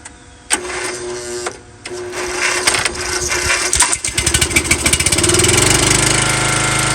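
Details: An MTD Yard Bug riding mower that sat for years is started after confirming spark and adding a little gas. There is rough catching and stumbling, then it settles into a steady single-cylinder putter; it starts and runs, surprising the owner.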